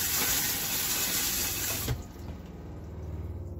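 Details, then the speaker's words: 2018 Keystone Outback RV, new Thetford toilet on its first flush: water hissing into the bowl with a soft, even fresh-water pump run behind it and no faltering, the pump working normally. "you can hear the water pump running or not, but it's basically doing exactly what it's supposed to be doing."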